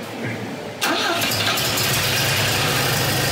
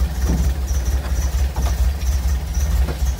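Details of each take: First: 1962 Volvo Amazon with rebuilt B20 four-cylinder and SU HS6 carburettors, after fitting the new exhaust downpipe: catches and settles into a steady, muted idle without hiss or rasp, much quieter and sealed. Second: 1962 Volvo Amazon, first start of rebuilt B20 with SU HS6 carburettors, new exhaust downpipe, warming up after spark timing adjustment; low lumpy uneven idle around two chuffs a second, barely holding idle, rough idle.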